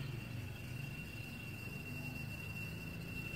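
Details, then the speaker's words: Toyota Aqua/Prius C engine bay: thin, steady high whistle over a quiet low hum from the AC compressor and pipe with AC on in hot weather; normal, not a fault or pipe leak. "जब गाड़ी का आप AC on करते हैं गर्मी के अंदर, उस टाइम आवाज़ आती है। जब टेम्परेचर हाई होगा तो उस टाइम ये आवाज़ आएगी"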